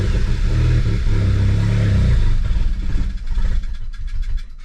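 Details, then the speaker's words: Audi A4 first start after crash repair, previously would not crank: engine runs roughly, then slows and dies within seconds; owner suspects poorly made fuel line losing fuel pressure. "запускається глохне це може бути через те що через що через те що в мене там паливна магістраль зроблена аби як вона може пропускати немає тиску в паливі"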